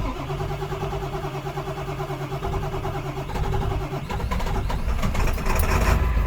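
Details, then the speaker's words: Diesel truck with glow plugs, jump-started with a 10,000 A jump box: slow laboured cranking at about three beats a second, then fights into an uneven run; hard start. "I need to start this truck. It's always started really well until now, and it is dead. The battery's dead. It won't even crank over."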